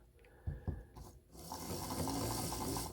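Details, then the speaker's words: Proto2K GP7 model locomotive drive unit tested on DC power before a decoder install: a few sharp clicks, then whirring drive with uneven ratcheting ticks as it jumps around; broken axle gears. "See how it's jumping around? That is the sign of a broken axle."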